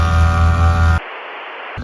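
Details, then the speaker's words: Vintage Winnebago Vectra P30 Jet Air Ride suspension, Harbor Freight air pump substitute, after rewiring a fried ignition source: steady droning compressor with low hum pumps toward 120 psi, then cuts out cleanly; normal pressure-switch cutoff. "It just shut off. It's all aired up. It did it. It's working on its own."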